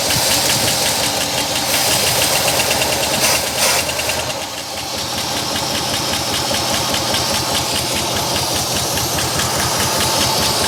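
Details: 1963 Oldsmobile 98 V8 revived after years sitting, running to circulate oil to valves: busy, even idle with fast light patter and brief dip in level, then steady running; smooth, likened to a sewing machine.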